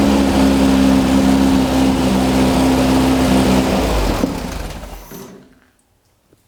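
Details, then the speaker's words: VW dune buggy with rebuilt 1600cc dual port air-cooled flat-four, first start after flooding, low idle: fires up and runs with a steady even beat, then shuts down; sounds healthy. "cool so it's runs that's a plus kind of a mess"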